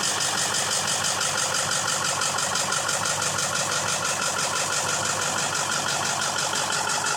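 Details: 2001 Ford F-350 7.3 Powerstroke turbo diesel: steady fast cranking pulses about twice a second go on and on without the engine catching; hard start, extended cranking, cause being diagnosed.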